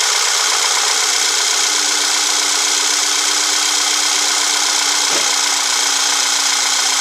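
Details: VW CC Sport after P0300 misfire repair: steady, even idle with constant hum and airy hiss, no stumbling or misfire pulses; engine sounds healthy, problem not recurring.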